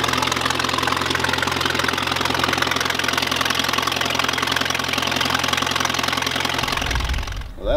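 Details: 1951 Allis Chalmers WD tractor running at fast idle after first start in at least 10 years, new coil and points fitted; steady, fairly even four-cylinder beat with mild exhaust chuff, then shut off, normal running.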